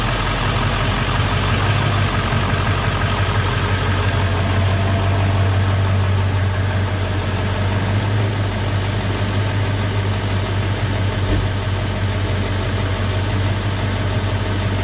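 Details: Ford 7.3 Super Duty diesel after coolant leak repair, coolant slightly below max cold fill: steady, even idle with deep, smooth rumble, no knocks, misses or hunting; normal idle, engine sounds healthy.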